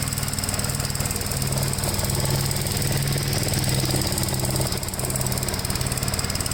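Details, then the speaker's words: 1957 Gravely tractor mowing wet grass: its single cylinder thumps along steady and firm under cutting load, with no stumbles or knocks. It cuts with plenty of power to spare, though the remote PTO lever may have popped out; the engine is healthy. "this is cut with no no problem with a lot of power to spare"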